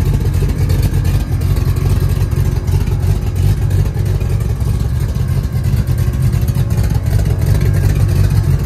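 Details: 1966 Chevrolet C10 LS swap with Craigslist aftermarket cam swapped back in, untuned: deep lumpy loping idle around three beats a second, strong low rumble; running well, better than stock cam, a weird squeal.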